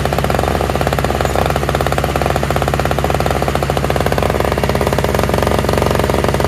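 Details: Toro/Craftsman single-stage two-stroke snowblower with electric start, running on fresh mixed gas after priming; quick even buzz with steady firing and no misses or surging; all it needed was gas.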